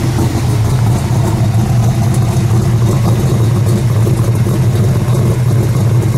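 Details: 1968 Ford Mustang Shelby GT350 restomod, 550 hp on the dyno: deep, even V8 burble holding steady without misses or knocks, with a slight whine almost like a supercharger. A normal, healthy idle.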